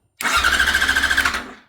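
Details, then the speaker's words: Yamaha R6 starter whirs with quick even cranking pulses but never catches, and no fuel pump prime is heard at key-on; relay also suspected; crank no start, fuel pump not priming. "I hit start button at his house, and the thing's spinning over, but you never hear the pump prime."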